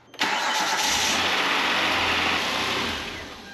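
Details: 2009 Hyundai Santa Fe started after intake manifold replacement: cranks briefly, catches quickly, settles into an even, steady idle with no misses or knocks; normal start.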